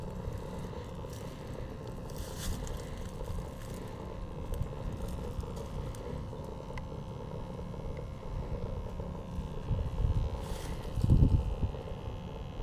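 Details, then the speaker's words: 90% Carrier furnace in grimy crawl space after clearing clogged condensate trap: steady low burner roar with even blower hum, pressure switch now silent with no ticking, hot surface igniter lit; furnace firing and running normally. "right active pressure switch silent no clicking there's your hot surface beautiful"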